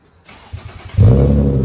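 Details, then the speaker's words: G35 coupe after replacing the flex pipes/Y-pipe to fix a bad exhaust leak. It revs cleanly with a deep, even exhaust note and no ticking or puffing leak; the exhaust now sounds sealed and healthy. "yes oh my god it sounds so much better dude oh that sounds so much better guys"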